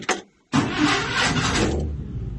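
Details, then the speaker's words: 1957 Chevy Bel Air with Pertronix electronic ignition distributor reinstalled, cold start: short crank catches straight away into a full-bodied settling idle with no stumble or misfire; timing close, to be checked warm with the timing light. "right up. Must be pretty close on the timing."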